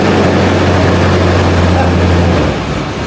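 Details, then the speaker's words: Car with a completely dead battery, jump-started with a portable jump starter in very cold weather after priming the manual fuel pump: catches and settles into a steady low idle with even rhythm, no knocks or misses. "Sounds like it's gonna idle."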